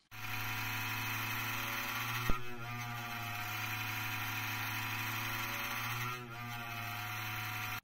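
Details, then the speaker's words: Cooling fan in a Mydel MP304 Mark II amateur-radio power supply, kicking in during an FT8 transmit and recorded on a mobile phone: harsh, rattly buzzing drone that wavers as it runs. Worn, unbalanced fan that sounds horrendous and is being replaced. "But when I did, the fan kicked in on the power supply and it sounded absolutely horrendous."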